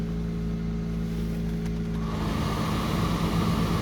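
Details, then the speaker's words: Mercedes-Benz W124 300CE-24 at 203,000 km, started from dead cold with high oil pressure and low temperature: steady cold idle hum, then a strong even rush of cooling fan air joins in; engine runs smoothly and the fans pull hard, normal. "fans work real powerfully too so cold"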